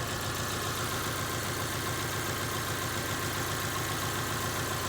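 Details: 2000 Subaru Outback 2.5 L boxer four-cylinder idling after a successful alternator replacement fixed the no-charge fault. Steady, even idle over a constant hum with no knocks, misses or squeals: normal idle.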